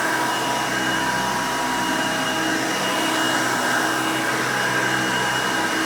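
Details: 1990 Hoover Elite 200 U4467 vintage upright vacuum, 5 amp motor: steady, even loud roar with constant high whine, no rattles, grinding or speed changes; runs pretty good, healthy.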